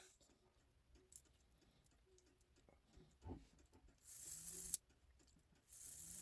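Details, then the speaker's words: 1950s Gebr Kuner cuckoo clock, modified Regula 1 movement, during reassembly function test: a few light clicks, then one clean two-note cuckoo and silence; strike cycles once and stops properly. "It cooks one time and it stops like it's supposed to."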